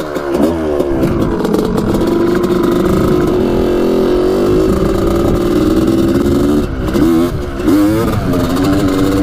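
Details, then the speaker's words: 1985 Honda CR250 two-stroke dirt bike riding after main jet fix for top-end break-up at about three-quarter throttle; starts first kick, good compression: crisp note climbs cleanly and holds high revs without stumbling; peppy, fixed. "pretty peppy isn't it there we go i said she's fixed wow rev's all great that's awesome"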